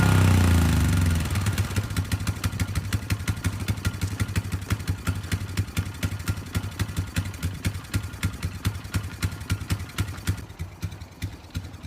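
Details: Polaris 500 HO ATV brought in as a no-start, with bad old fuel and mouse droppings: the single cylinder settles from a rev into a steady, even thumping idle with no misses or stumbling. Normal, healthy idle.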